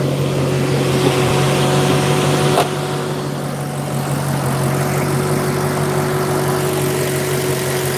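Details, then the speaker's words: 2015 Maserati at warm idle with hood open: steady, even exhaust hum with low drone; earlier clicking/ticking gone once warmed up; normal warm idle. "But yeah, once it's warmed up, everything is just"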